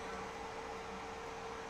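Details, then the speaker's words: Carlsbro Powerline 300 Pro power amplifier after cooling fan replacement, during load test with the lid off: smooth quiet airy whoosh with a faint steady hum, no rattle or bearing growl; the new fan runs properly, far quieter than the old one. "The new fan is nowhere near as noisy as the old one and it's clearly doing its job because the thermals are okay."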